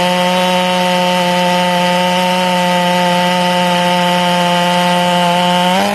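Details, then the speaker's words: Ported Stihl MS461 chainsaw with a rev-limited coil, cutting wood: a steady high scream through the cut, then the pitch breaks and wobbles into four-stroking on entry and exit, a rich, safe tune. "now notice that you hear the saw four stroking as it enters the wood and as it exits the wood"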